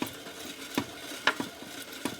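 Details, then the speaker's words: 1947 Harley EL 74ci knucklehead bottom-end bearing being lapped by hand with fresh grit; gritty scraping strokes about every half second, working harder; the compound is still cutting and will be run until it goes soft. "you can hear it in working a little harder we'll just run this in until it gets nice and soft and really hear the grit anymore like we did before"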